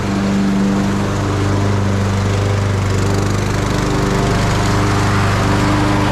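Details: Craftsman YT3000 riding mower's single-cylinder engine on a test run after new tie rods and drag link, a fixed leaking valve cover gasket and a new deck belt. Steady, even speed, consistent low thump, no misses or knocks; healthy normal running.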